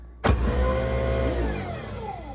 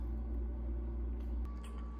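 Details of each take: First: New replacement garbage disposal, plugged in and switched on before mounting: sharp switch-on click then smooth, steady motor hum with no grinding or rattling; runs normally. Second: Garbage disposal in a rental house, switched on: steady low electrical hum with no spin-up, motor nut not turning; motor energized but stalled/bound, unit needs replacing.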